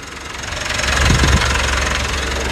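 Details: 2017 Mitsubishi Triton 2.4 4N15 all-aluminium diesel (190 hp) at end of a brake caliper job: diesel clatter swells as revs climb, then settles into an even, steady run with no odd knocks; normal healthy diesel running.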